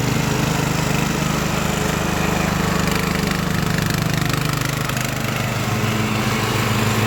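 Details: Craftsman LT1000 riding mower with swapped-in Briggs & Stratton engine, warmed up after a week unused, test-mowing tall grass with unsharpened blades: even, steady drone holding speed under cutting load without missing or surging; engine running healthy.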